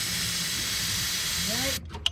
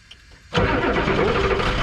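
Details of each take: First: Old Ford F-Super Duty 7.3 IDI diesel, with starting fluid sprayed into the intake; steady cranking chug three to four beats a second that never catches, suspected lost fuel prime or air bubble: crank no start, fuel starvation. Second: Ford F-Super Duty 7.3 IDI diesel, started after glow plug cycle: quiet, then catches at once and settles into steady, even clatter; quick start, runs cleanly.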